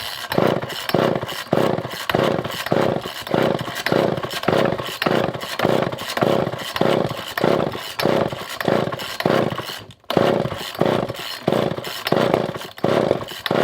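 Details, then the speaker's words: Older Poulan 2000 chainsaw, unstarted for a long time, fuel poured into the cylinder, choke on start: repeated pulls about 1.5 per second, each a brief sputtering fire that never catches. Carburetor suspected to need cleaning. Intermittent firing when primed. "you guys can hear it starting to crank over guys so i think this is going to be a pretty straightforward run at this i think it's going to be the carburetor that is going to need to be cleaned up"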